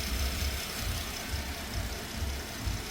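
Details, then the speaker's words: 2013 Porsche Panamera after timing chain replacement for P0016 stretched chain, idling about an hour, no oil leaks, fan not yet on: low even rumble with no ticking, rattle or chain slap; smooth healthy idle. "sounds great no fan yet I just shut it off it's been idling for about an hour no oil leaks everything's good"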